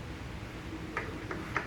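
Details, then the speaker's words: 2014–2017 Subaru Crosstrek rear wheel after new hub bearing install: faint light ticks about three per two seconds as the hub turns; suspected rubbing on the dust lip or brake pad touching, unconfirmed; light intermittent ticking at wheel. "Looks like it's rubbing on this lip right here, this dust lip. Yeah. So I'm going to sand it down. Sounds like a brake pad's touching, and that's it."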